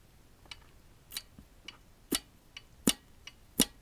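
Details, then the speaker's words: 1980 Yamaha XS1100 Special with the engine off, vacuum advance hose tested by sucking on it: sharp, dry clicks about once a second as the advance unit moves. The vacuum advance is working normally. "you hear that little clicking sound in there? That means that the vacuum Advance, as to do with the timing of the Advance unit, it works."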